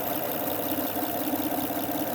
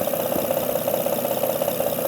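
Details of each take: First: 2005-2010 Honda Odyssey 3.5 L, almost 250,000 miles, engine cover off, after new timing belt tensioner fixed a loud ticking: smooth, even idle, steady hum, only faint injector noise; running healthy. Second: 2005–2010 Honda Odyssey 3.5L, top cover off, no check engine light: loud, fast, even ticking knock over a rough, shaking idle, with hesitation and lack of power; faulty timing belt tensioner.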